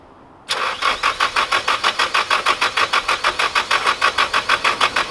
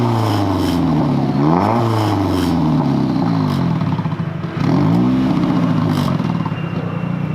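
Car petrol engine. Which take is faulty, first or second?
first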